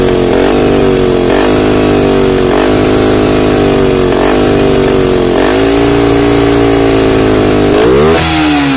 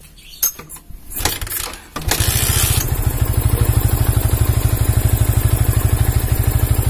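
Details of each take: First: Yamaha Vixion New fuel-injected motorcycle: held revs dip about every 1.5 seconds then sag hard as if about to stall at mid-high RPM; weak battery starving injection, fault code 46 stored. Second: Yamaha Vixion New motorcycle that would not start, running with a capacitor jumpered in place of the battery: fires and settles into an even, regular idle with no stumbles; charging measured at 14 volts; normal idle.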